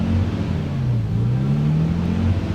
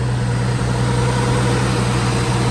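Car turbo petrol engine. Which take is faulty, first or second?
first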